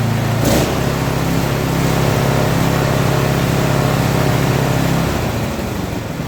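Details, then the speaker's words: Small electric-start engine for a wood splitter idling with no choke, steady and even with no knocks or misses, some outdoor background; normal, healthy idle. "It doesn't sound bad. It doesn't sound like it's junk."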